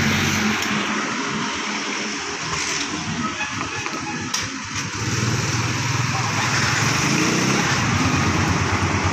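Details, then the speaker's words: Sniper MX150 after removing and refitting the clutch housing to fix the clutch damper problem: even, steady single-cylinder idle with street noise around it, no knocking or rattling from the clutch side; the engine is quiet again. "Tahimik na uli yung makina yan. Wala na yung dumatagasa."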